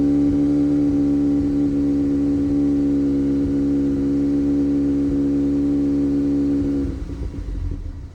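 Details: 2018 Audi A3 8V 2.0 TFSI: a steady engine hum with a faint irregular stumble, about three per second, then it cuts off. Misfire under load and at idle; fuel trims and HPFP/LPFP values being checked.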